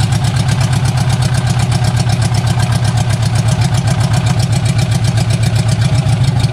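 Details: Barn-find Austin-Healey Sprite running with only the exhaust manifold, no exhaust system fitted: loud raw deep idle, rapid even pulses about four per second.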